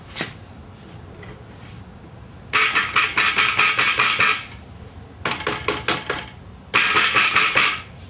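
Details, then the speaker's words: New StreetStrider lifted and dropped: quiet, then sharp metallic rattling on each drop. The rattle comes from spacer play in pedal joint #3. "I'm going to show you the difference in the rattle of that little spacer in the in the joint number three"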